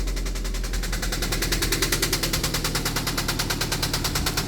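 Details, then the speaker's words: Toyota MR2 engine started knocking while driving on the highway; oil level fine, oil dirty: loud hammering knock about six times a second drowning out the engine; serious internal failure, engine considered blown. "listen to that guys oh my gosh knock knock who's there my MR2 oh my gosh it sounds so bad I checked it it's not low on oil the oil was dirty but not too bad ah good grief so I need a new engine"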